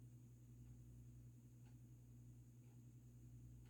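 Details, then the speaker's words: Vintage 42-inch Old Jacksonville 'Savannah' ceiling fan by Nichols-Kusan, Emerson K-55 stack motor, on solid-state variable speed control at its lowest setting: faint steady hum with no ticking or rubbing, a normal quiet run. "this is like a perfect low speed for it because it's moving like the perfect amount of air for me at least"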